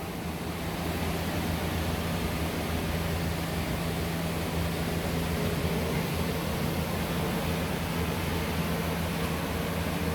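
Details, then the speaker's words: Water system of a BBQ concession trailer on shore power: continuous water flow is confirmed at the faucet before the water heater is plugged in; smooth even rush over a low steady hum, no sputter or air spitting; normal flow. "so so again continuous water flow before you ever plug the water heater in"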